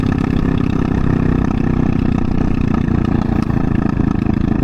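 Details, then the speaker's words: Honda Ruckus GY6 scooter with the intake air filter missing; steady low idle broken by irregular sharp pops and spits, lean-running idle popping. "See, even at idle, it's popping and whatnot."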